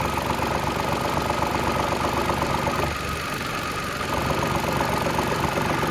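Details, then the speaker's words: Mitsubishi Mirage at cold idle with a light plastic clacking about four times a second that stops when the air filter box is held; loose housing on its rubber mounting bushes, fixed with new grommets. "ไม่รู้เพื่อนๆได้ยินเสียงมครับมันดังแก๊กๆๆๆๆเี่ถ้าเราจับมันจะเงียบเลยถ้าเราปล่อย"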